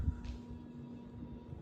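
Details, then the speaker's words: Hampton Bay Madison ceiling fan in bedroom, running at medium speed; faint steady low hum with thin higher tone, owner unsure if the glass causes the loudness; pronounced motor hum. "now it's pretty loud I don't know what makes it home so loud I don't know if it's the glass or what it is but it's pretty loud"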